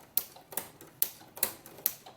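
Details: Inspire ruffler foot on a sewing machine, set to gather every six stitches with 4 mm stitch length: crisp regular ticks about every 0.4 seconds over a quiet motor, normal clicking between gathers.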